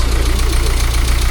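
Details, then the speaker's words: 1978 Austin Allegro idling on full choke after carburettor rebuild and refit: even, quick low chuff with no knocks or misses, smooth and quiet like a little sewing machine; normal idle. "Oh, listen to that! Like a little sewing machine. Very good, Dad."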